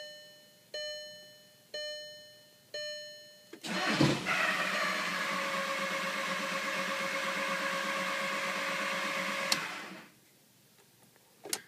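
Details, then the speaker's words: VW Jetta TDI diesel, after draining water from the fuel filter: three chimes, then the starter spins about six seconds without firing; fuel reaches filter, pump and injectors; cause unknown. "starts like it wants to crank for like a half a second and then just spins over like nothing's going on"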